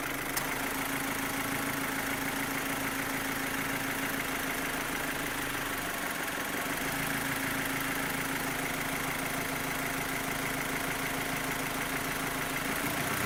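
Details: 2015 Opel Astra H Z16XEP petrol engine: loud, rapid top-end tick about three per second over idle, rising with revs; disappears when cylinders 3 and 4 are cut, tappets replaced without change, non-original camshafts suspected; cause unknown.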